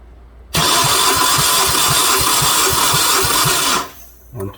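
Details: 2009 Hyundai Sonata towed in for a crank-no-start: fast, even starter cranking with no firing; cylinders two to four read 125 on compression, fuel suspected of washing the cylinders, and bad fuel is also suspected.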